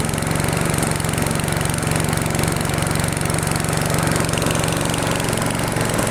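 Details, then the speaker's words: Freshly restored, repainted single-cylinder machine idling after about 20 minutes, paint smoking off: rapid fairly steady putter about four beats a second, drifting a little; mild idle hunting, cause unconfirmed. "it has been 20 minutes the machine runs fine it is searching a little bit sometimes but it is also just idling"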